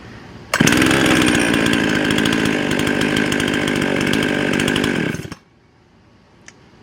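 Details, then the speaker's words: High, steady buzz from a Husqvarna 55 chainsaw that cuts out within a second when brake cleaner is sprayed where the carburetor meets the intake; intake air leak, most likely carburetor base gasket, possibly worn carburetor throttle. "yep i've got a intake leak here that immediately shut the engine off yep so we've got an intake leak right here where this carburetor meets so most likely it's the base gasket of the carburetor"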